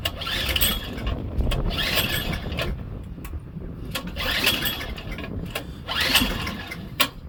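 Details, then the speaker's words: Craftsman Series 2 snowblower after checking continuity: single-cylinder engine catches and keeps running with steady chugging and bursts of throttle; normal running after start. "I checked for continuity clear through all this and it all works so it should fire right up with some Spark"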